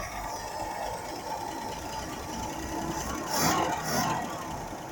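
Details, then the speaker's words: 1976 Chevy Camaro inline engine with carburetor, primed with fuel down the float bowl; steady, even idle with smooth low rumble, no knocking or misses; normal idle. "There the Camaro runs. $26 later. It's a good running little car."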